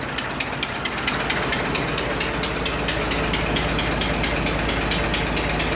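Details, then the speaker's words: 100-year-old 1924 Dodge truck engine at steady idle after restart, no smoke: sharp, regular ticking about twice a second, puffing tick of an exhaust leak. "huh yeah definitely got exhaust leak"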